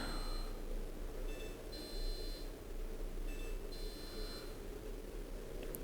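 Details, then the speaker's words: Indesit YTM1071R heat pump tumble dryer, water tank emptied: short high beeps repeating in bursts over low fan hum, recurring fault alarm; water pump and float switch under investigation. "so I've just ignored the alarm really I've emptied the no I haven't I've emptied the water in this tank I don't know let's see what happens oh no it's doing it"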